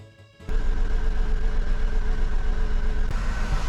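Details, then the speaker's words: Mercedes W203 C180 Kompressor, 67k miles, during oil-leak repair; engine catches and runs rough with uneven stumbling low beat about four a second: misfire, a dead cylinder from a coil pack left unplugged. "Something wrong. Not good. Not good at all."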